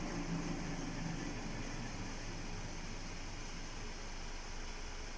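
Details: All-wheel-drive car with a manual gearbox, tested at home: a low, even drone that stays constant as the wheel spins over a quiet engine idle, the sound of a dead wheel hub bearing.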